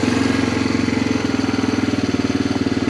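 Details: 1987 Honda TRX250 Fourtrax, sat about 10 years, after carb work with temporary gas tank: even steady single-cylinder putter about three beats a second, no misses or knocks. Normal idle.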